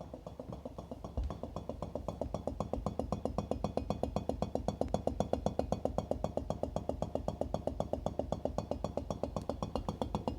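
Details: 2005 Whirlpool GS6NBEXRQ00 refrigerator, over 16 years old, knocking fast and steadily, about four hollow taps a second, louder at the bottom. Owner suspects the compressor. The noise stopped on its own shortly after.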